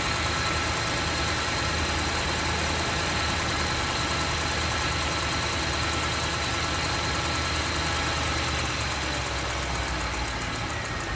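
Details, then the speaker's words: 2008 Range Rover, 169k miles, cold start in the morning: light, fairly regular tick through the steady hum at raised idle, continuing as rpm drops and fan turns on. "now the RPM just decreased. And I guess the fan turned on. And it's that tick, tick, tick, tick, tick."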